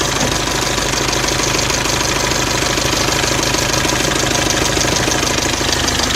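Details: Mercedes OM601 2.3 diesel idling with a sharp, regular metallic knock riding steadily over the clatter at an even rhythm; internal engine knock.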